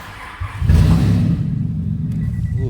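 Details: Nissan Elgrand E51 3.5L V6 with about 195,000 indicated: a loud, raw, deep blatting note swells on a rev, sounding like open headers. The catalytic converter pipe had sheared completely in two, a severe exhaust leak.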